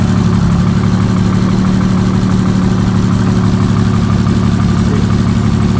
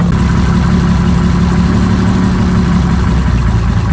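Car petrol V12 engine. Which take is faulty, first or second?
second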